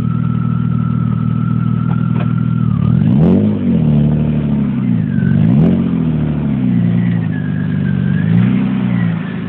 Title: 1997 BMW E36 M3 - Engine Whistle Noise / Whirring Sound / Howl / Whine - #1